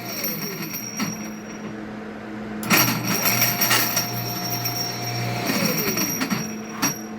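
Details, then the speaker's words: Water pump with zero pressure; motor runs with an irregular rattling chatter and clunks from the impeller end because the impeller spins on the rotor shaft instead of staying fixed, possibly from a worn shaft. "Este sonido se debe a que la turbina o impeller gira sobre el eje rotor. Es decir, no se está quedando fija en el eje rotor."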